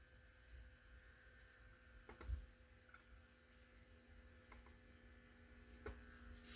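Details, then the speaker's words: 1947 Grant Line 5-tube radio brought up slowly on reduced voltage (about 40 V, going to 60 V): low steady mains hum with faint buzz; electrolytic capacitors believed shot, suspected power-supply filtering fault. "I don't know if you can hear that but we're buzzing let's take it on up to 60"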